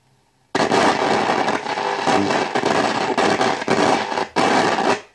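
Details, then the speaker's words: Wald model 310 five-valve AM/SW tube radio under repair, volume at maximum: loud ragged crackle and popping surging as the variable tuning capacitor is turned; suspected dirty or faulty capacitor, unconfirmed; crackling and popping while tuning. "er estoy tocando el condensador variable este ese chisporroteo que se oye no es nada bueno quiere decir o que o está sucio o hay alguna parte del condensador que no está funcionando bien"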